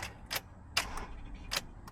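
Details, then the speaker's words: 2008 Honda CR-V, about 15 years old: each key turn gives one sharp click with no cranking; owner suspects ignition relay or ignition module rather than starter. Cause suspected, not confirmed. "Key goes in here like this. Turn it on. Go to turn it. Nothing but a click."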